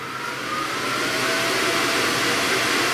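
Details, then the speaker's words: 30 W RF laser cutter switched on before the extract fan: a jet-engine-like airy roar spins up within a second and holds even, with no knocks or rattles. Normal cooling fan noise. "now you'll probably remember when we turn this on it sounds like a a jet engine so let's just remember the pleasant sound that it makes"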